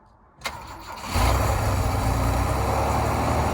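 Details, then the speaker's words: 1982 Holden WB panel van, long-sitting, six-cylinder carburettor engine fed from a jury-rigged small fuel tank, first start: brief crank then catches at once and holds a steady, even idle; starts surprisingly easily. "Bloody hell. That was a bit too easy. That's crazy."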